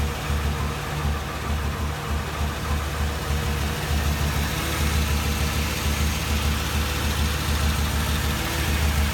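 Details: 2007 Ford Crown Victoria idle with an uneven, lumpy beat and occasional stumbles over a low rumble: misfire at idle, cause not yet pinned down.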